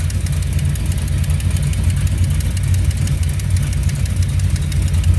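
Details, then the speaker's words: 1970 Plymouth Duster 340 at first start after new heads and Speedmaster roller rockers, running without a radiator: lumpy V8 idle with fast, sharp ticking and puffing that follows engine speed. Exhaust leak. "Running. Definitely getting an exhaust leak."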